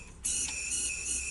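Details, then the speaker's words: Non-starting Chinese chainsaw (Stihl-style, easy starter), spark plug good: air blown in at top dead centre escapes from the carburettor intake port as a steady high-pitched whistling hiss; the impulse channel or possibly the cylinder is suspected, not confirmed. "Воно ще, в принципі, в принципі, коли його тут от дути там компресором чи якимсь насосом в цю, коли в нас поршень є піднятий догори ВМТ, і воно буде дутися з карбюратора, чуєте? З отвору впускного."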